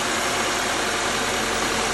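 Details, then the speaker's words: 2013 Subaru Outback after serpentine belt replacement, restarted to check the earlier noise: steady, even idle hum with no squeal, chirp or ticking; belt drive now quiet and healthy. "Go ahead and restart it, and let's see if we have that noise anymore. That should be it. Nice and quiet."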